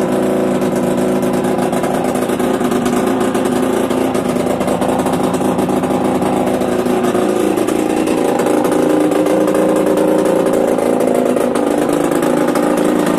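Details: Yamaha DTR 125 two-stroke, engine from a 2007 electric-start bike, first start after new unrestricted Gilera SC CDI, new seals, powervalve fully open, 240 main jet, Big One exhaust; constant crisp drone rising and falling with throttle, no stumbling or rattles, normal running.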